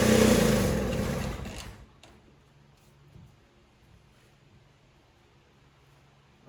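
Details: Toro CCR3000 single-stage snowblower, 5 hp Suzuki engine, started on choke after priming and run dry for summer storage: runs loud under two seconds, then fades and quits as the carburetor empties. Fuel starvation stall.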